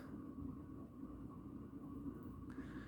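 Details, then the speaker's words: 36-inch Four Seasons Galaxy spinner ceiling fan, medium speed: steady, rough, grainy low rumble with faint hum, loud and growing with speed, fan wobbling; worn motor bearings. "this fan has a lot of bad bearings um pretty much rumbles the ceiling actually like yeah like you can really hear it it's really loud already on low"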